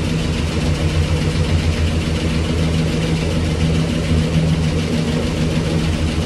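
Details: 1965 Cadillac Coupe DeVille with Flowmaster exhaust, first start after 15 years off the road, fuel fed manually: deep, even V8 burble with no knocks or ticks. Normal idle, with a possible small exhaust leak.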